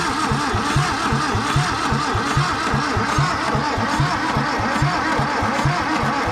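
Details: 1962 Hillman Minx engine after 40 years abandoned, intake off: uneven stumbling idle with irregular low firing pulses, runs on carb cleaner but hates gasoline; probably fuel starved.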